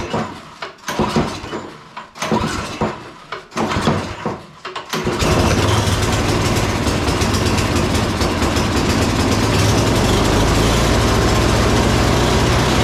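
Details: Salvaged "big red" snow blower with no electric start, choke on, fuel on, primer pumped many times, oil looking new, spark plug heat range 2: a few sharp recoil pulls, then the small single catches into a steady, even fast beat; starts and runs normally.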